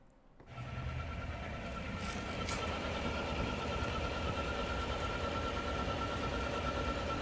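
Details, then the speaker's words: 2021 Chevy Silverado 1500 Trail Boss LT 5.3L, 10-speed automatic, noise from about 1300 miles; steady high whine, chirp-like, over engine and exhaust, heard from the lower underside. "all right i'm gonna play it one more time if you listen closely not the exhaust you could hear like a whining noise almost like if it's a belt going bad or uh something like that it's it's a real distinct like chirp"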